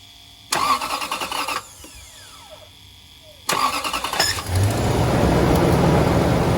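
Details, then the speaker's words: 2000 Toyota Land Cruiser 100 Series 4.7 L V8 after starter replacement (old starter's gear failed to retract from flywheel): two short cranking bursts, engine catches and settles, slight squeak, no clanking; sounds healthy. "All right, good. A little bit of a squeak. We'll have to turn her off and turn her back on a couple times, but no clackety clanking. Sounds good, sounds healthy."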